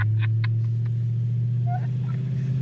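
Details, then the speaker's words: 1986 Ford Thunderbird, 302 V8 with 6-71 Roots blower, welded rear, winter; after earlier misfire, deep even V8 rumble holds steady at idle with no stumble or skipped beats, running fine now. "that runs good now huh maybe it needs to warm up see it wants to like run fine now"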